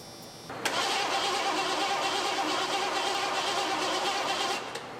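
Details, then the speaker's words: 1986 Ford F150 with a 5.0 EFI engine, sat about 25 years, cranking after the key was cycled to prime. Steady starter churning at about three beats a second without catching. No fuel comes out of the fuel rail Schrader valve. "Wonder if we're getting any fuel up to the engine. I would assume not."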